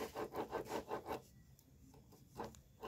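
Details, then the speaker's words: Yamaha F1ZR two-stroke engine, disassembled for a rough-running complaint, crankshaft turned by hand: gritty rasping pulses, nearly three a second. The rotation feels rough rather than light, like a dirty, dry crankshaft bearing. "Kang Bro Yao suaranya Kang Bro saat kita putar-putar seperti ini ada suara strok strokokok strok ya itu ya Nah udah gitu Ini putarannya serut B Bro serut Ya seharusnya di sini muternya enteng dan lancar Kang Bro"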